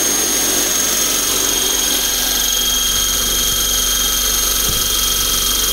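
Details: eFlite Blade 400 flybarless RC helicopter, first spool-up after rebuild: steady high-pitched whine with even tones, no rough pulsing or vibration rattle; blades straight, clean spool-up.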